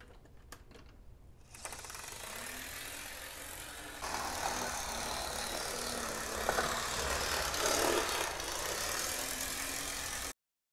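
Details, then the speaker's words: 1980s Amtrak Bachmann model locomotive with Life-Like parts, after about five minutes of running-in: steady motor whir with fast gritty ticking, about four per second, blamed on one gear typical of older Bachmanns; Life-Like gear replacement planned; gear noise. "fortunately it does have that sound that these older bachmanns are prone to having it's all because of that one gear"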